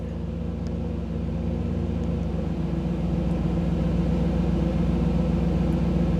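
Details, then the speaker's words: 1985 Camaro IROC-Z TPI V8 with a new engine, idling warm with a steady low rumble; idle drops from about 975 rpm to around 750 rpm when the OBD-I scan tool stops streaming data. "so you could hear the difference in the idle what that is is when I dropped out of when the when I went out of the tools um display when it's not getting the data stream then the idle drops back down"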